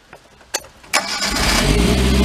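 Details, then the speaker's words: 2008 Mag XT Chinese work truck with all four plug wires hooked up: a few cranking clicks, catches at once and settles into an even idle, no stumbling; much better. "oh that sounds much better [Music] that sounds like it's got it huh excellent"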